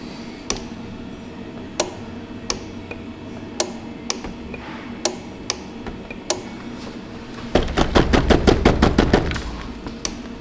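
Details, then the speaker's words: Chevrolet Trailblazer secondary air injection system, scan-tool commanded after harness repair: sharp relay clicks and clattering bursts, but no motor hum; the AIR pump does not run. "we fixed the relay the relay clicks it doesn't mean that it's working"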